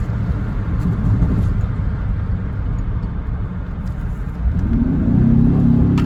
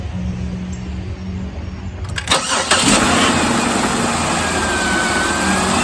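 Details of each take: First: 2006 Buick Lucerne 3.8L GM 3800 V6, driving on the interstate with check engine light blinking for an active misfire: rough, uneven stumbling drone under load; misfire diagnosed as a failed crankshaft position sensor. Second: 2006 Buick Lucerne 3.8L GM 3800 after crankshaft position sensor replacement: quiet, then starter catches within about a second and settles into a smooth, even idle with no rubbing or misfire; healthy.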